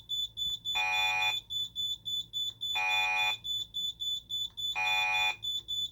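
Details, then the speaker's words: Simplex 3001 alarm panel test, fire panic triggered from the keypad with keys 1 and 7: a high-pitched alarm of long half-second blasts about every two seconds, with quick chirps between. "Now let's cover our panics. So, fire panic is 1 and 7."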